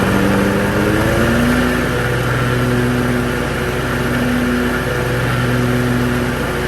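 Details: Hustler Raptor SD 54-inch zero turn mower after deck belt replacement; fires up, revs briefly, then holds a steady even hum with no squeal or slap from the new deck belt.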